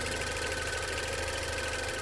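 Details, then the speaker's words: 2016 Range Rover Evoque at idle during a pre-purchase inspection, hood open: light, fast tick steady with engine speed; the inspector thinks it may be normal, as on four-cylinder BMWs and Mercedes, but wants to compare with other Evoques. Ticking at idle. "mws and mercedes with the four surrenders with this kind of ticking noise which apparently might be normal"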